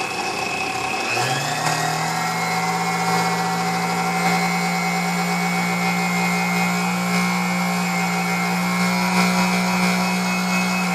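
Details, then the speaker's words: Sunbeam Mixmaster Model 12 vintage mixer, first plug-in before restoration, badly cracked cord: motor spins up into a steady low hum with a harsh, gritty edge; runs rough, cause not yet known, to be found on full disassembly. "So it doesn't matter because it's going to be completely taken apart. We can, figure out what's wrong with it at that point."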